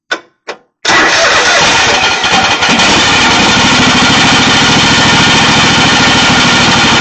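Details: Kohler Command Pro engine on a Craftsman GT5000 mower after freeing a stuck intake valve with lubricant: two short cranks, then a steady, even run with no misses or knocks; normal running.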